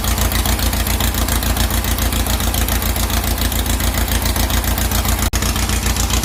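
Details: 2332cc "Dust Buggy" bug, carbs cleaned and mixture screws set after it ran rough and missed on the cold start. Even, deep chuff at about three and a half pulses per second with no misses or hunting; the air-cooled engine idles steadily: normal.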